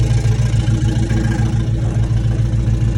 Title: 5.7 HEMI CHARGER Is this lifter failure, pulley, exhaust leak or flex plate? What do you think?